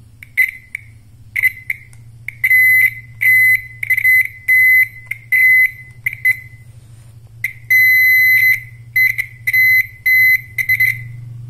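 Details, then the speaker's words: Piezo buzzer speaker from a car speedometer, fed 12 V from an adapter on the bench, the source of modern-car turn signal sound: sharp high beeps in a quick on-off pattern over a faint hum; sounding normally. "ini saya ada suaranya ya jadi suara flasher yang mobil-mobil sedan atau mobil mewah atau mobil muda itu dia eh kurang lebihnya gambarannya dihasilkan oleh speaker bzer seperti ini"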